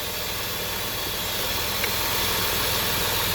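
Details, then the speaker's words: 2007 Dodge Nitro 3.7 V6, 147k miles, check engine light on: a steady airy hiss over the idle hum from a vacuum leak at a purge hose. It is being chased for an idle surge and EVAP leak. "I can actually hear. Y'all hear that vacuum leak?"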